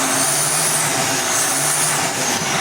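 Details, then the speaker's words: Big Brute diesel with a brand-new turbo: a loud, constant airy hiss over a steady drone. A boost leak is suspected near the turbo; not confirmed. "سنا ہے؟ یہ یا تو ایسا ہے جیسے رگیں رگڑ رہی ہوں یا اوہ، کہیں سے ہوا نکل رہی ہے۔"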